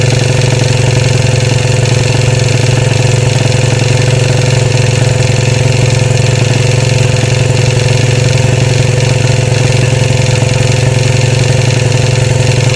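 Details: 2013 Royal Enfield Classic 500 single, reassembled after teardown for stray M5x35 bolts: decompressor noise gone, steady idle thump with a light rattle swelling and fading in a slow regular cycle; oil level okay, tappets and rockers to be checked, source unclear.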